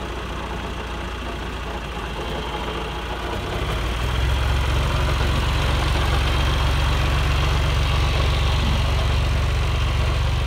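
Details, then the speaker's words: John Deere 2040 tractor diesel at idle with a fast, even rattle about four per second riding on top; bad water pump bearing, visible wiggle in pump shaft, before water pump rebuild. "it's got a bad water pump bearing so you can see by that wiggle right there and we're gonna fix it that's that water pump yeah that's the water-pump rattling"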